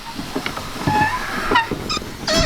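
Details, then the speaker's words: VW Polo Vivo window rolling down: short rubbery squeaks and squeals as the outer rubber seal sticks to the glass and gets sucked down with the window; window seal squeak. "But then another thing is when you hear that noise as I roll it down, these rubbers on the outside, they tend to stick more towards your window, and then as soon as your window goes down, it just sucks it back down"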